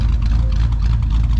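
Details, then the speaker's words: LS V8 after a top-end rebuild for a failing lifter and low oil pressure, now at 40–50 psi oil: deep, even idle with a steady low rumble and no ticking. Slight lifter noise and smoke at first start are normal and went away. "so it is normal perfectly normal right here a little bit of lifting noise and a little bit of smoke out the back whenever you first started up"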